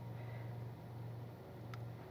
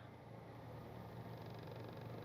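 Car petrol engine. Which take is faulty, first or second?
second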